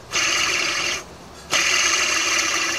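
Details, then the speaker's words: 1995 Ford F-250 4x4 idler pulley (worn plastic) spun by hand: dry, gritty rolling rasp fading as it slows; bearings sound extremely dry but little play; owner suspects it causes chirping on cold morning starts, may replace. "see how this sounds and those bearings in there sound extremely dry although there's not really a whole lot of play in here so from that perspective they're in good shape"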